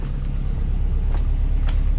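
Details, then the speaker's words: Subaru Bugeye WRX just after swapping in a Deatschwerks 200 fuel pump, hoping to fix a running issue: deep even engine rumble holding steady with no stumble or misfire, settling into a clean idle; slight pump hum, no leaks. "fuel hasn't gone anywhere there's a slight little hum coming from there so that means it's doing its thing"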